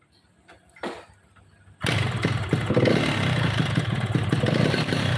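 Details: Yamaha RX two-stroke motorcycle with low power: after starting it settles into a ragged, uneven clatter about three beats a second over the exhaust; mechanic notes poor compression.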